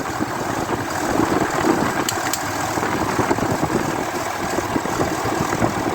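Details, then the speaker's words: 2003 Dodge Ram 3500 dually diesel idling with no blow-by and the temperature gauge just starting to rise: even, steady clatter, no knock or misses; normal idle. "Wow, it's running great. Oh, I can see the temperature gauge is just starting to come up now."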